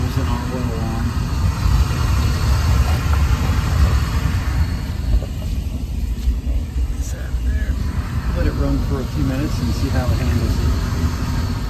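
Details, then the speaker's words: Home oil burner after oil delivery, filter, strainer and gasket replaced and line bled: lights with a steady low roar, slight early unevenness from possible air bubbles settling into an even burn; normal operation. "have ignition thought we might sound crappy for a few minutes we might have a couple bubbles"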